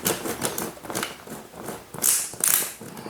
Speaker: there you go I hear lots of Click so after turning the wheel as normal like opening the luggage as you can see that the zero is not in between of the markings that I made anymore